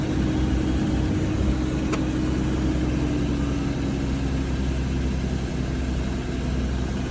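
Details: Audi Q7 supercharged petrol V6 idling with a slightly uneven low rumble from a cylinder 6 misfire, tested by swapping the coil pack.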